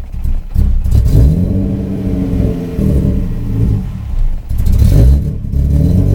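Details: 1994 Subaru Impreza with EG33 engine swap, at half throttle: struggles to rev, rough and uneven as if not firing on all cylinders; intermittent power loss cold or warm, no check engine lights.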